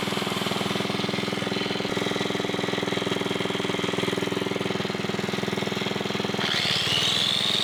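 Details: 1980s Onan 1.7 kW generator after carburetor cleaning, air filter refitted: a fast, even firing buzz at steady speed with a brief whistle near the end. It briefly died once for an unknown reason but otherwise runs normally.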